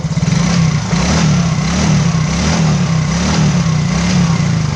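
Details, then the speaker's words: Engine after piston ring replacement without replacing the block, rings fitted the right way up: strong, smooth note rising and falling with the throttle, deep steady beat with no ticking or knocking, smoking gone; normal revving. "ini mesinnya sudah halus ya sudah kita bikin halus ini asamnya pun sudah hilang yang enak"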